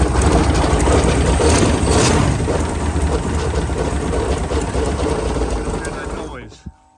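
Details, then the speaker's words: Sleek Craft jet boat with 454, first start after sitting for years: rapid, uneven ratcheting chatter about three per second over the running engine until shutdown; owner felt it came from the bell housing, lubricant spray changed nothing; cause unconfirmed. "What is that? All right, let me see if I can diagnose that noise a little bit"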